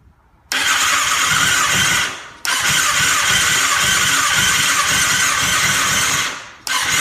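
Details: 2007 Kawasaki ZX6R that wouldn't start (ran only on starter fluid) after wrecks, now fixed with professionally cleaned injectors and a new fuel pump; owner suspects moisture entered through a bad tank seal. Starts at once and revs cleanly without misfire.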